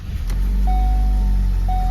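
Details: Ford Focus at low idle during start-up checks after wheel bearing and valve cover gasket work: a steady mid-pitched dashboard warning chime sounds about a second, pauses, repeats; hill start assist warning appears, speed sensor fault suspected, not confirmed.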